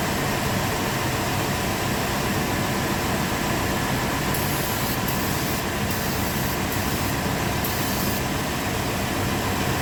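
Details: 1997 GMC Yukon 5.7 L after new, pressure-tested solenoids were fitted: steady, even engine roar with no misses, knocks or stumbles over ten seconds; starts and runs cleanly.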